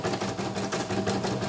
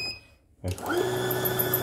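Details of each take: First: Embroidery machine M34 test run after repair of rough noise and frame hitting: quick, even mechanical ticking at steady pace, no harsh knocking; running smoothly, normal. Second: CNY embroidery machine running loud and harsh, unable to run normally, with a fast rattling tick about four per second.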